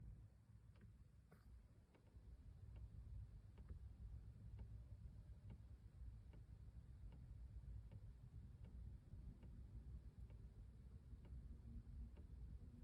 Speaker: Definitely sounds like it's coming from that right side, passenger side.